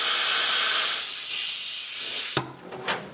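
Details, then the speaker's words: CNC machine total-loss way lube system during repair, valve opened on a cleaned line: steady air hiss then wet sputters and gurgling as oil purges air and debris from the lube line. "so right there you can hear the oil is gurgling and it's cleaning out the lines"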